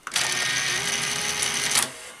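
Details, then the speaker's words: Sanyo VTC-MH5 NTSC Beta Hi-fi VCR, lacing: short high-pitched whir lasting under two seconds, much quicker than normal. Lacing motor runs too fast; owner suspects an overly high power supply voltage line. "so I'm wondering if that is actually correct Behavior because if if the one of the voltage lines from the power supply is too high that might be overrunning those Motors and making them run very fast"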